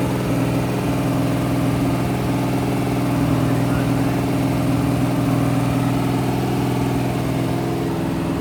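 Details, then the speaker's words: Rebuilt 426 Gen 2 Hemi crate V8 (new heads, intake, pistons) on run stand, flat-tappet cam break-in, ~15 min in, ~210°F, 50 psi oil: loud steady high idle around 2500 rpm, smooth even beat, no tick or clatter; normal. "We broke in a modern flat tapid cam with no failure. We have excellent oil pressure. Our engine starts, runs, revs, sounds great."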